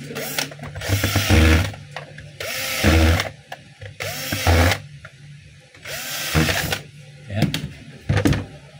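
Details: DeWalt D25811 5 kg jack hammer after rewiring and reassembly: short bursts of hard, rapid hammering about a second long start and stop cleanly; the breaker is striking properly again.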